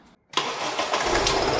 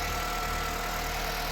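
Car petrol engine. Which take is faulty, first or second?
first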